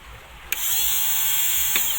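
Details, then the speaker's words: New Smash motorcycle starter motor, repaired after a cracked magnet and reversed rotation with new parts, dust seal made from inner tube; sharp click then strong steady high whine holding even pitch about two seconds, spinning fast and freely, healthy. "Nah, itu sudah cukup kencang, ya. Sudah cukup kencang."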